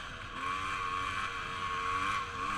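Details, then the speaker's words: 2013 GasGas XC300E two-stroke with newly installed Lectron carb, held mostly at wide open throttle across sand: harsh, raspy sound indicating lean top-end mixture; later richened metering rod 1/4 turn and power jet 1/2 turn. "mostly wide open throttle I notice that the bike started to sound real rasp can you take a listen might be able to hear it through my microphone"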